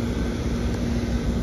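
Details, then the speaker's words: 460 V York heat pump condenser unit restarted with new fuses, drawing about 5 A per leg: steady low hum with even fan rush, no grinding, rattling or surging; running normally. "Seemed like it came on okay."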